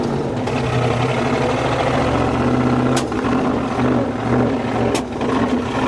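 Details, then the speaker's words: 1965 Chevy pickup built from parts: low idle sagging and surging with uneven beats and sharp pops, spitting badly, seems to run well then stops running well; owner suspects the carburetor, probably from sitting too long; rough running. "why is it spitting like that hella bad I don't know I thought I was going to ask you that I don't know cuz it doesn't run good I don't know key it seems like it runs good but then it just decides it doesn't want to run good"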